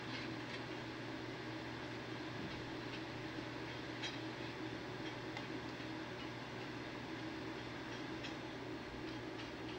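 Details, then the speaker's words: Imation SuperDisk drive (128 MB, also reads 1.44 MB floppies) on parallel port under Windows 98, reading a regular floppy: faint steady whirring with light clicks about twice a second; drive churning noise, cause unknown. "We'll put this in the drive. Let it churn for a while."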